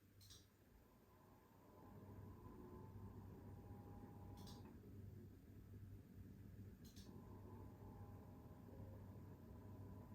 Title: ZOTAC RTX 4090 AMP Extreme Airo - fan noise problem (humming, buzzing at low level)